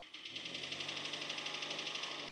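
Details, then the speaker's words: 2015 Hyundai Elantra engine with only 80k on it, idling: fast even rattly knocking about fourteen per second over the petrol engine, piston slap, confirmed on teardown. "So, what is piston slap and why is my car making this noise?"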